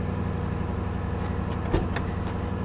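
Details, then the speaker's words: Cheap ex-police car parked for years, started after sitting: smooth, even low idle with a steady pulse, no knocks or misses and no smoke; runs perfectly, normal idle. "This runs perfect. Important window. Yep. Oh my goodness, man. No smoke."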